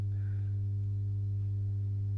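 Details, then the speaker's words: Masco M25N valve amp, poorly re-capped, on current limiter: steady low droning buzzy hum, reduced when a test cap is bridged on; confirmed lack of smoothing, mains hum from insufficient filter capacitance. "so yeah that's um that's definitely the uh capacitance home so lack of smoothing on there"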